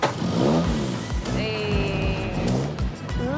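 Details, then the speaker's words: After restoration, from the driver's seat: quick clean throttle blips rising and falling smoothly, crisp and even with no misses; healthy revving. "listen to that wow listen to that yeah sounds good does sound good the first time you've heard that engine"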